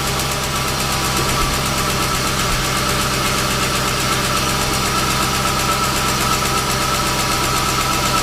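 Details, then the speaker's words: 1998 Jaguar XJ8 Vanden Plas V8 after throttle body cleaning to cure phantom stalling: steady, even idle holding without dips, surges or stalling, a normal idle. "all right so that's how you clean the throttle body so you don't have that phantom stall issue with your Jaguars"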